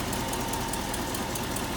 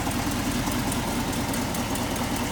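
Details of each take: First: 1968 Ford F250 Camper Special with 360 V8, C6 three-speed automatic and power steering, idling under hood: smooth, even V8 idle with steady low rumble, no knocks or misses; runs well, healthy normal idle. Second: 1968 Ford F250 Camper Special, 360 V8 idling under the hood: faint quick ticking puff from a new exhaust leak on the passenger side, started within the last few weeks; owner suspects a blown gasket, fix planned.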